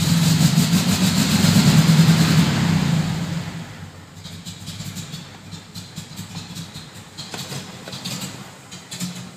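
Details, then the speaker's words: 1972 VW Fastback with fuel injection running rich, worst when cold (owner suspects rich mixture; charging checked at 14.2 V); strong revving for a few seconds, then sags into uneven sputtering and dies, won't hold a cold idle; stalling on cold start, cause unconfirmed. "I can't even keep it running long enough for me to well heck"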